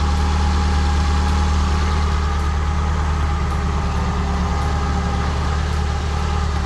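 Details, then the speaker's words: Nissan 240SX KA24DE warmed up after timing chain guide and tensioner service: steady, even idle with smooth low hum and no ticking or rattle from the front; timing chain tick gone, repair successful. "It was a success. There's no more timing chain tick, and I'm gonna finish bleeding the coolant."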